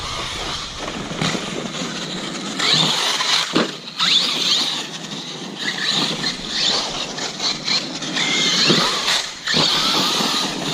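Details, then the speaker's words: Arrma Kraton 6S V4 RC truck bashing on wet ground, differential previously failed: shrill whine surging and dropping with each throttle burst; drivetrain noise, source not confirmed, owner plans to replace pinions. "I mean you guys can hear there's all that noise I'm talking about"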